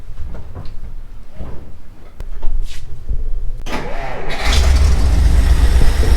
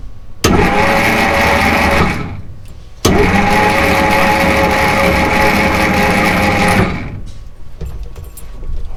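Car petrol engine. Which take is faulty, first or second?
second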